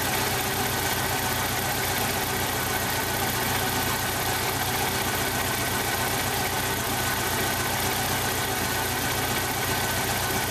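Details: 1995 Jeep Wrangler YJ 2.5L four at idle, with a blown head gasket at cylinder one measuring about 70 psi compression: an uneven, loping idle with roughly two stumbles a second; rough idle from blown head gasket.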